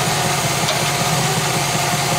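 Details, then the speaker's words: 1966 Chevy Biscayne, big block 396, at operating temperature after heat riser repair and starter shim work: loud, steady idle with even rumble and hiss, no ticking or knocking; normal warm idle. "happy it's operating temperature I'll tell you that"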